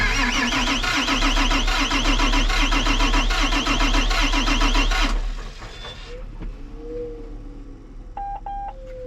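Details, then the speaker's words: John Deere 8235R tractor diesel with a misfire, cranking during a diagnostic test without starting: steady fast starter rhythm, about four beats a second, uneven crank. Low compression suspected with no blow-by, possibly valve train or head. "But it's got an uneven crank. There's a compression issue. There's either, with no blow by, I'm suspecting something with the valve train or the head."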